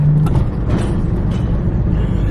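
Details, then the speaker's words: Lowered Subaru WRX (VB) on adjustable rear control arms, driving: rough, uneven scuffing under low road drone from a rubber mud flap dragging on the pavement. "So that's the that's the thing that sounds crazy right now. It's just a piece of rubber rubbing on the floor, which will go away."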